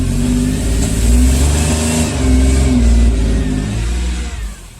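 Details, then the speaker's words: 2002 Mercedes ML320 V6, misfiring every cylinder on bank 2, with a dead battery and jump-started and almost no fuel; revved, it bogs and stumbles instead of climbing cleanly. The owner later second-guessed the diagnosis. "And just for reference, I don't really want to do this, but I'm going to rev it up. You hear the bog?"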